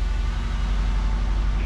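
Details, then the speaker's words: 1987 Chevette converted to a manual transmission, started in neutral with about half a pump of throttle, clutch with about an inch of pedal play: steady low idle rumble with an even beat and no knocks or rattles; idling normally. "all right we're gonna put her in neutral and fire it up let's see give it about half a pump that is awesome"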